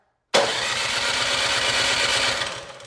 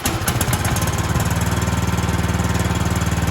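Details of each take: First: Cub Cadet 2X26 snow blower (model 31AM5CVS756, engine 675-WUB) on electric start, choked, about 3/4 throttle, primed three times: steady cranking but no fire; the carburetor bowl is to be drained next. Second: Cub Cadet 2X26 snow blower (engine 675-WUB) with a no-start complaint, pull-started on the bench at half to 3/4 throttle after priming, no choke needed: fires and settles into a steady, even beat, no misses, then winds down; running healthy.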